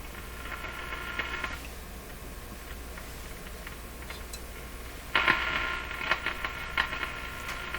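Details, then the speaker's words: Nordmende Boheme C tube radio on the broadcast band after replacing four capacitors: steady hiss with no station, then sharp crashing crackle bursts, not tuning; suspected rubbing tuning capacitor plates or bad grounding of the rotating part. "hear all that static and crashing not tuning at all what happened there"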